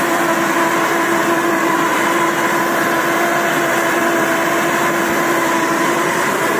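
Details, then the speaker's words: Samurai rotary mower running with small rotors at higher rotor speed, third setting, chain drive through the housing; loud steady drone with constant whine, scary-sounding but normal gearbox hum. "Косилка страшная, гудит она страшно, но не надо этого бояться."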